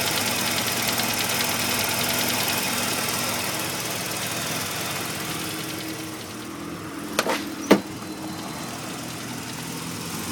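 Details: 1985 Mazda RX-7 rotary at warm idle, knock only once warmed up: light, uneven knock about twice a second under a hissy background; owner hopes a pulley, rotary internals possible, source unknown.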